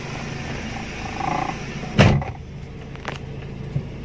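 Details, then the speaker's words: 2002 Toyota Soluna GLi, manual, over 18 years old: short starter clunk, then low smooth even idle with no knocks or misses; warning lights all off after start, engine normal. "begitu kita start mesin indikator mati semua jadi mesin normal tertutup"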